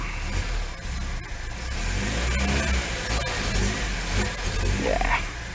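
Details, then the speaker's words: Carburetted Lada 2102 running on very stale fuel: uneven, lumpy revving that hesitates and wavers under a low rumble. The owner suspects dirt in one carb jet, and the carburettor is to be taken apart again. "must have some dirt in the carb I reckon at one of the Jets I mean is running on very very stout fuel"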